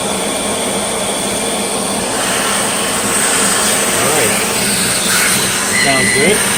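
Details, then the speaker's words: Riccar 8850 vacuum motor after repacking front and rear bearings, run backwards with brushes off: smooth even hum with clean high whine climbing with speed, no grinding or rumble; bearings sound healthy. "okay so I hope you were able to see that nice so that commutator is pretty clean very very delicate touch with this don't jam it in there and yep it's sounding a lot better"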